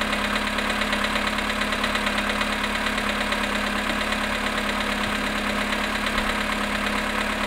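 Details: VW Polo sedan at 18,618 km, cold start at -5.5 °C after standing 18 hours: cold idle with steady light regular tapping under the engine note, under two knocks a second; cold start engine knock.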